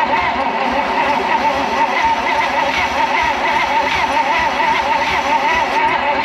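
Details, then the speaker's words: Abandoned 1956 Oldsmobile 88 after long storage: even, quick cranking whirr that never fires, light airy sound; suspected very low compression (untested, no gauge); cranks but won't start. "think kind of sounds like it wants to but man that sounds like it's got some super low [Music] compression"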